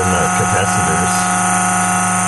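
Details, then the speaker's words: PD4655 converter/charger pushing about 50+ amps into batteries: loud, steady fan rush with constant hum, no rise or fall; larger auxiliary cooling fan running normally to keep the transformer from overheating. "you hear that not just the normal fairly silent shotgun but the larger auxiliary cooling fan is kicked in it's got to keep that transformer and"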